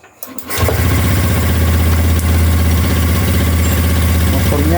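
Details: Honda Beat ESP scooter that showed blink codes 7, 11, 12, 52, after checking parts and refitting the old one: short starter whir, engine catches immediately and settles to even steady idle; healthy start.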